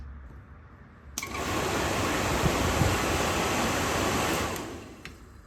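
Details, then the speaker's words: Rusty 1971 Chevy K20 Suburban with stroker 388: blower motor powered by a small portable jump pack, before the fan cage swap. It spins up to a smooth, even whoosh, holds steady, then coasts down cleanly. Blower motor operating normally. "H that sounds and works pretty good makes me think I might have been wrong"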